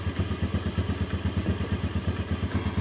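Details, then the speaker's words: 2014 Yamaha Jupiter Z1 motorcycle idling cold: light regular "kletek" tick over the thumping beat, not from inside the engine but from a clogged crankcase breather hose; cleaning it made the engine run smooth. "dengan keluhan kalau posisi mesin Masih dingin itu terdengar suara kletek kletek kletek kletek seperti itu ya"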